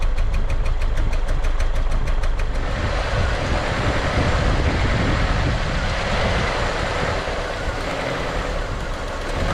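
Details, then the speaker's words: 1999 Honda Accord, nearly 200,000 miles, misfire codes P1399, P0303, P0301 after a cold snap; uneven, stumbling, lumpy idle, spits and sputters as a cylinder is disconnected; cause suspected, not confirmed. "look at the Idol's terrible that one made it spit and sputter"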